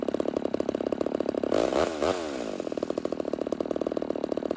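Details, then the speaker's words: Homelite Super XL 130 vintage chainsaw, first start after build, idle carburetor tuning: steady two-stroke idle slows and softens as the mixture is leaned out until RPM drops, then richened back to find maximum idle RPM. "So what you're seeing is that I'm trying to starve the saw by leaning it out, and then I'm going to kind of work back the other direction and richen it up until the RPM start dropping."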